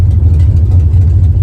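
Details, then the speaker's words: Car just back from the shop with a new fuel pump (tank found clean) runs with a low drone and slight unevenness. Still below optimal fuel pressure and not as smooth as it should be. Rough running. "it's still not at optimal Fel pressure and I can definitely feel in the performance that it's not uh running as smooth as it should"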